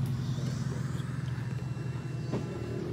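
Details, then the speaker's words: Yamaha Aerox scooter that wouldn't start, after installing new replacement (non-original) fuel pump, key switched on: low steady hum for a few seconds as the pump primes; normal fuel pump priming. "Ngayon isusi natin mga katropa, pakinggan natin kung tutunog na yung kanyang fuel pump."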